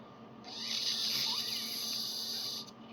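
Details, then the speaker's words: Cadillac Seville fuel filter, air blown through it by mouth to check for clogging: steady airy hiss for about two seconds, flowing freely; filter confirmed not clogged. "I definitely hear it. So that's actually the confirmation. Yeah, I was blowing a little bit the wrong way. But that's a confirmation that actually this one is working again."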